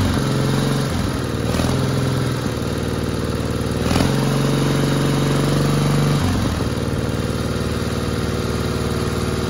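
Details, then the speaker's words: 1960 Onan industrial engine for a homemade Model T replica truck, first start in many years: steady even low-pitched beat at constant speed, no misses or knocks, healthy after the fuel pump butterfly valve position was changed. "but anyway it's running I don't quite understand all the controls yet like that but uh that sounded good right okay that's a success"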